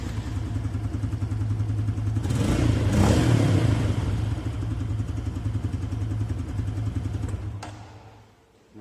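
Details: Four-stroke motorcycle check run after spark plug replacement: steady single-cylinder putter rising smoothly with a throttle blip, dropping back and shutting off cleanly; runs even and healthy.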